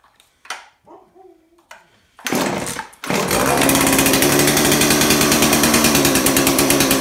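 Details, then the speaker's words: Husqvarna 235 chainsaw, owned since 2010, after replacing the carburetor, primer bulb and fuel lines: pull-start clatter, then a steady, buzzy two-stroke run on part choke; starts and runs, carb still needs adjusting. "Okay, so I still have to adjust it, but at least it starts now."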